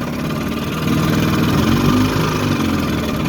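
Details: 1954 Evinrude Super Fastwin outboard on a lake, 24:1 ethanol-free gas and synthetic oil, after points cleaned and gapped and missing coil screw replaced: steady two-stroke burble at idle, about four pulses a second, no misfire or clatter; idles cleanly.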